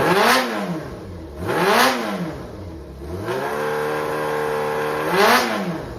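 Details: Running Yamaha XJR400 (4HM) engine assembly, removed from a working bike, compression tested, no abnormal noise or white smoke: clean throttle blips rise and fall freely between steady idle stretches, no knocks, rattles or tapping. Normal running and revving.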